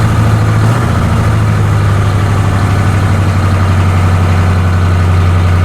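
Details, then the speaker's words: 1985 M1028 CUCV 6.2L diesel after fitting a custom 3-inch two-into-one exhaust with a 3x24-inch free-flow muffler: deep, steady idle drone with no rattles or buzzing, a healthy exhaust note. "oh that sounds so good i can smell it new exhaust pipe like a new car"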